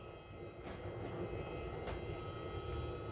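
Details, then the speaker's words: EGO Power+ 56V rapid battery charger charging a battery, phone held close; constant airy whoosh with a faint steady whine, no ticking or grinding, fan fairly loud though said to be quiet, normal charger cooling fan noise. "I was told the charger is a no noisy unit. I don't know if you can hear it. Let me bring it up closer. >> [snorts] >> It is kind of noisy."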